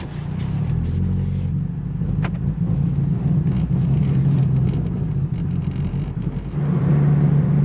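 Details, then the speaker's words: 2014 Ford Focus after fixing low fuel pressure code P0087 and limp mode, test drive: steady, even low engine hum pulling under load with road rumble, no misfire; drives and shifts fine, check engine light off; right front wheel noise noted. "Well, it drives, shifts, no problem. Transmission's good. No more check engine light."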